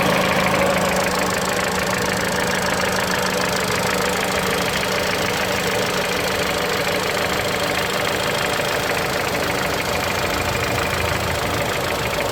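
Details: Mitsubishi Lancer X 4B10 1.8 CVT engine at cold idle: steady idle with fast uneven tapping about three per second over the engine note; knock occurs only when cold at idle, source unknown.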